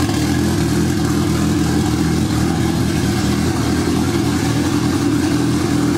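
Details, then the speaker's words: Honda Civic wagon, D16Z6 Vitara turbo build sitting two years, first start: uneven lumpy drone; downloaded base map had about 0° idle ignition timing, later set to about 21–23° and injectors suspect. "for some reason this base map that I downloaded it out like zero degrees in it at timing on idle which doesn't make any sense"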